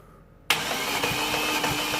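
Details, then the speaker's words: Vauxhall/Opel Astra 1.6 with poor running, no power and a P0011 timing code, cranked during a cylinder 2 compression test: the starter spins fast and evenly with no compression chug and never catches. There is no compression, so it won't start. "there's no compression on this engine and that's why it's not starting um at the moment"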